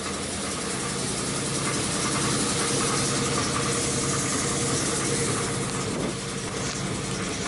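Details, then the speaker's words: 2005 Chrysler 300C 5.7L Hemi, first start after a rebuild: rough idle with a steady knock three or four times a second, sounding like rod knock from the bottom end. Cause unknown; smoke is from oil spilled on the headers. "that sounds like a fucking rod knock and for what reason is knocking i have no"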